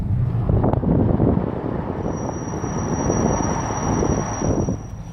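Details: Car with under 10,000 miles, brakes squealing while driving: thin, steady high-pitched squeal over low road rumble, fading as the car slows.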